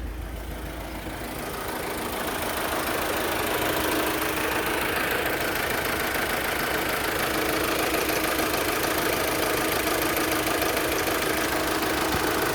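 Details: Opel Vectra 2.2 16v: idle holds a busy, even patter about three beats a second under a harsh hiss; unstable idle with engine noise. Rough idle with engine noise.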